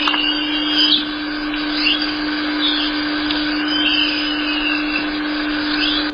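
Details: Shock absorber: soft wet chirping squishes rise and fall over a steady hum, particles in the shock absorber causing squish noise.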